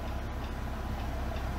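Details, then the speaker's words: BMW M3 Competition, one wheel turning: a quick, regular light ticking in time with the wheel, on one side only. It was traced to overlong wheel bolts rubbing behind the hub. "however we go to this side yeah you can hear a definite ticking going on here not sure what that is"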